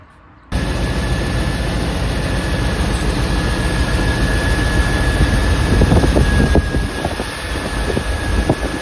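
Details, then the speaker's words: 1993 GMC C1500 TBI 350 V8 idling after fix: steady rumble, no belt squeal; squeak was caused by tensioner pulley not flat and not spinning true, now solved. "for now I solved the squeaking problem and it was The Idler the the tensioner pulley"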